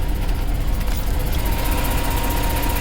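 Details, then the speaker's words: Mercedes C63 AMG after catalytic converter removal: deep V8 idle with faint regular ticking pop from the newly welded exhaust section, an exhaust leak at the weld. "can hear that little pop-up bro it's freaking leaking it's freaking leaking"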